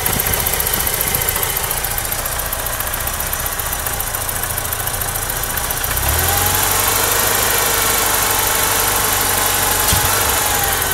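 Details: BMW E30 with M42 four-cylinder engine idling rough, with a low rumble that pulses and wavers; the cause is still unknown despite a new TPS, changed AFM, a different ICV, cleaned injectors and new vacuum hoses.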